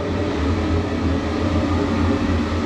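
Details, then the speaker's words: Mixing room extraction fan in a new paint workshop, described as quite noisy. Loud, even roar with a low steady hum underneath and no knocking or wavering: the fan is normal, just noisy. "So, the mixing room, one thing the mixing room extraction is quite noisy, so I don't know how well it's going to sound on camera, but I'll show you anyway."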